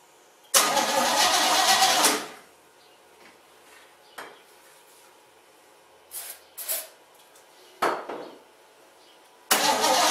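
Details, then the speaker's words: Basket-case GMC after the plug-wire spark fix and a new carburetor gasket: it catches with a loud burst for about 1.5 seconds, then dies, with weak sputters before another start. The owner blames bad gas. Engine starts then stalls. "that sounds better um all right it started and it kind of ran it didn't make a lot of noise bad gas won't let us stay running"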